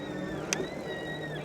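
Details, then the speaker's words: Hovsco HovGTRS 750 W 48 V fat-tire eBike while riding in low gear: thin steady high whine wavering slightly in pitch over light road noise; source unknown, rider thinks it sounds like the brake. "What? Like there we hear it. It's like so distracting. It is so hard to focus with that noise."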